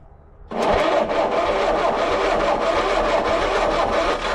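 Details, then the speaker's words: 1940 Keller Super Chief woodie, 6-volt system jumped with 12 volts to the starter, starting fluid sprayed, after decades in a tow yard: steady even cranking for about four seconds, never fires; suspected no spark. "Dang. I don't think it's getting any spark."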